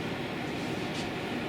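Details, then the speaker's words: Newly installed indoor air-conditioning/heating unit running about 45 minutes set to 22 degrees: steady smooth airy rush, no rattle, tick or pulsing; fan running normally. "the air conditioning and the heating is now installed and up and running, and it's absolutely fabulous, absolutely fabulous."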